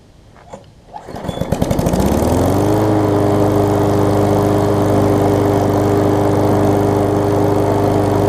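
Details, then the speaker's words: Craftsman 21-inch self-propelled mower after a carb clean, exhaust reattached with screw-type bolts over stripped threads, key start removed and safety cable zip-tied. It catches after a few pulls and settles into a steady, even drone; exhaust holding and running well. "Exhaust is holding up really well, which is good, and it runs really well."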